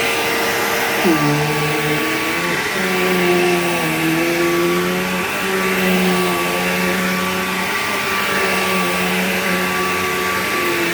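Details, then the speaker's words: Bissell PowerGlide Platinum 3545-2 upright vacuum: steady roar with a wavering whiny tone sliding up and down in pitch over the normal motor sound, most noticeable on wind-down; cause of the whine unclear. "Yeah, that weird, like, whiny, wordy sound that it makes is really bizarre. I don't know why it does that. Like, it has the normal Bissell sound, but then it also has that wah noise."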